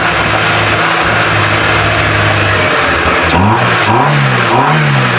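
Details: Proton Wira after throttle body cleaning, fixing low idle, stalling and no power: steady even idle, then four quick throttle blips rising and falling cleanly without hesitation; healthy.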